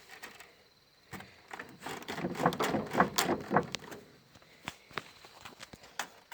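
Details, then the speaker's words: 2013 Chevrolet Spin with the shock absorber removed and worked by hand: sharp irregular clunks. A gap between the top nut and the worn shock mount sounds like everything is loose underneath when driving. Adjusting it stopped the noise. "isso com o carro em movimento parece que o carro tá soltando tudo em baixo"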